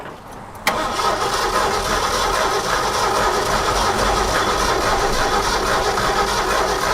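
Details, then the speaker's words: Abandoned 1969 Ford F100 sitting over 30 years, fuel delivery also doubted: click then long steady cranking about three beats a second that never fires; distributor points not sparking consistently, cleaned and coil to be replaced; cranks, no spark. "I don't think we're getting fire So on this distributor, the points inside there are not sparking consistently the way they need to be."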